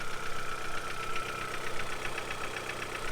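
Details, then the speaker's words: Low-mileage petrol car left sitting long, started cold: rapid, hollow knocking rattle at idle from piston slap due to loose piston-to-wall clearances; barely audible once warmed up. "once that's warmed that once the cars warmed up you're barely gonna hear that"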